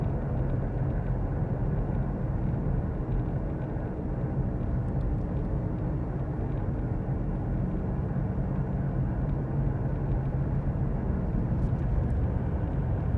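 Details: Worn hub bearing heard from a tyre while cruising, recorded from the passenger side: a constant low droning rumble, a steady growl under road noise, heard as gogogo, rururu, won-won, gorogoro.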